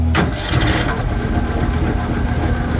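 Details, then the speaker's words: Refurbished 2001 Argo Bigfoot 6x6 amphibious vehicle with new battery, carburetor kill solenoid wired to ignition, everything reassembled: quick start then steady low-pitched idle, even rhythm, no tapping or grinding; engine healthy. "New battery, everything's hooked up, everything's good to go. It sounds good."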